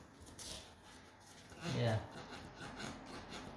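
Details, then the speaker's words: Squeaky floor: a single dry rubbing creak rises and fades as weight comes onto the board, from a loose nail in the main subfloor moving when stepped on. "you can see the nail that's moving when you step did you hear that"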